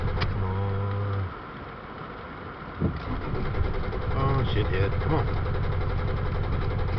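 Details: Toyota Tacoma that stalled after driving into water: steady cranking at about three to four beats a second, then ragged catching and stumbling as it tries to fire. Hard start, cause not confirmed.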